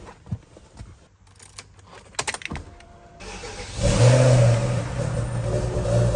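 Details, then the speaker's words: 20-year-old BMW 545i V8 manual, just after a minor service (spark plugs), starts after handling noises and settles into a steady, even, deep smooth idle; running beautifully. "Okay, that's phase one complete with the 545. The engine is serviced and it's running beautifully."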